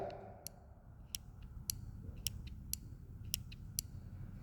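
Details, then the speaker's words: Nova sliding thumb control (amptrol) from Everlast on an MTS 275P welder, a replacement unit that is worse than the first: sharp irregular clicks about every half second with faint creaks over a low hum; the switch creaks and clicks, nearly turning on. "Can you hear that? It actually wants to [ __ ] turn on."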